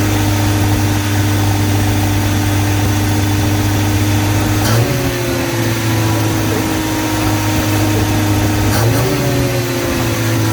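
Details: Toyota KE10 Corolla first run at about 2000 rpm for 10–15 minutes: steady fast run with a sharp puffing tick. Exhaust leak, which sounds like it is at the front where the extractors meet the cylinder head.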